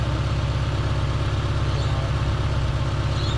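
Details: Holden Barina ML after distributor inspection and maintenance, idling: low thrum with slightly uneven beat, a little rough; sometimes ragged after revving, occasional backfire, possibly exhaust gas feeding back through the EGR reed valve, cause unconfirmed.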